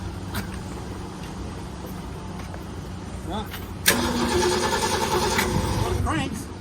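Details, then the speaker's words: Ford Galaxie with new battery and new starter solenoid: starter spins engine steadily about two seconds but never catches; no spark, traced to dirty points. "don't sound like it's sparking too much let's let's check that out"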